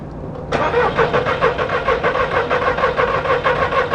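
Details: 2002 VW Polo 1.2 three-cylinder AZQ petrol: starter spins with even beat about four compression pulses a second, never catches; coils now firing but one coil draws over 10 amps, coils to be substituted.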